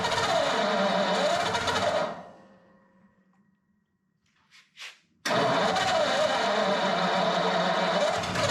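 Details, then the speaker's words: Flathead Ford 8BA V8 in a panel truck, converted to 12V with new points, condenser, cap, rotor and coils, on its first start attempt: steady cranking with pauses, catches briefly but won't keep running; no fuel seen reaching the fuel pump. "it's trying I don't see any fuel going into the fuel pump so that's probably there"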